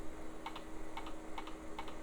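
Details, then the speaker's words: Salvaged e-waste PC booting straight to its old hard drive at power-on: paired clicks repeating about twice a second as the drive struggles to spin up. "and sounds like that hard drive is not doing too good but I'm going to give it a second sometimes those will unstick themselves"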